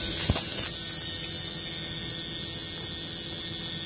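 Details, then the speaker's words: Battery-operated buzz coil (Model T style) with relay for a hit-and-miss engine, contact made on the engine; steady high thin buzz without a break over faint hum, continuous multiple-spark discharge. Coil vibrating normally. "it's a continuous [Music] spark so it's kind of like a uh a multiple spark discharge uh long before that was invented by other people such as MSD which is multiple spark discharge"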